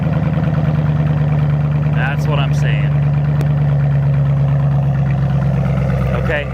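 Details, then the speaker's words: 2008 Ford Mustang GT 4.6 L V8 bought from Copart, started without a jump; deep, steady idle with an even beat and no misses or ticks. It runs like a top and sounds healthy. "Here's the engine. 4.6 L. Runs like a top, man. It does. Runs like a top. Sounds great."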